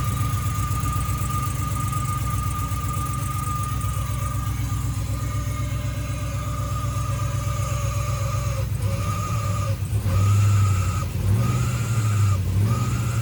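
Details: 6.0 V8-swapped Camaro restarted after tidying wiring and commanding the fuel pump on; uneven, lumpy idle with a throbbing low beat and speed dips: rough running, misfire from crossed coil wiring.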